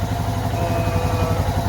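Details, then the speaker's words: Suzuki DR650 single at steady, even idle with no misses after a K&N air filter, UNI UP123 secondary/breather filter, oil change, spark plugs and new carburetor choke; the popping and backfiring it had with the stock filter is gone. Runs healthy. "air filter, new choke in the carburetor. Sounds like we're running pretty decent."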